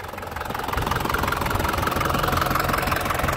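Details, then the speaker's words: 2004 Panther LS (Black Panther) diesel, about 160,000 km, engine still hot from earlier driving: a clean start into an even, crisp idle clatter pulsing about three times a second. A healthy diesel idle. "Ini suaranya sangat renyah sekali ya, suaranya dari segi suara mesin tuh dilihat dari segi suara, asap knalpot. Nah itu sudah kelihatan enak banget nih, suaranya masih sangat-sangat enak, renyah, khas Panther seperti ini lur ya."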